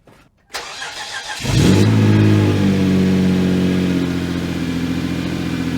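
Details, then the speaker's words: 2011 Hyundai Genesis Coupe after engine replacement for low compression, first start with radiator refitted, upper hose still cold; cranks briefly, catches and settles into smooth even idle, no knocks or misses; no leaks seen, burning oil smell. "But it does run very smooth. Yes, it does. I didn't see anything leaking."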